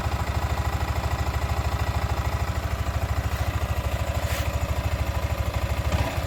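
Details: Sniper 155 VVA single-cylinder motorcycle at 7 months old: steady, even low thump at a quick regular beat with no knocks or rattles; a clean idle.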